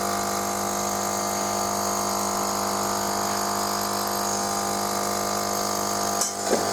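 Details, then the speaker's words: Melitta Caffeo CI coffee machine after heating: the pump runs with a steady, even buzzing hum but no water flows or rinses, and it cycles back to "start system"; suspected blocked filters, pump or check valve fault. "но в целом принципе слышно как включается помпа и спрос должно происходить по крайней мере нагнетание но его нету"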